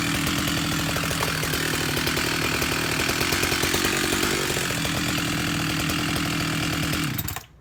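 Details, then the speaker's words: Husqvarna 371 chainsaw with an aftermarket Chinese cylinder, after fuel line and carburetor replacement, in a wide-open test run for carb tuning toward 13,500 rpm; steady high-pitched scream for about seven seconds, then cut off. It was rich out of the box. "Okay, back after a test run, and my target goal for 371 is 13.5 to 14,000. 13.5 is for new, 14,000 is for broken in."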